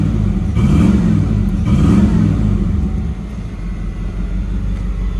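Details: 1989 Pontiac Firebird Formula 350 V8, 10,000 miles, long stored, after heating and tapping stuck injectors: two throttle blips with deep rumble, then a steady, even idle with no misses.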